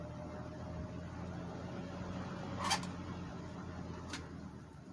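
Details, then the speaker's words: One of two vintage box fans (3-speed Fasco 120 V 1.1 A or 2-speed GE 115 V 3.6 A) running, motor just cleaned and serviced: a steady low electrical hum under the quiet whoosh of the blades, no knocking or scraping; noticeable motor hum. "Motor does have a hum to it, and I just cleaned and serviced this motor too."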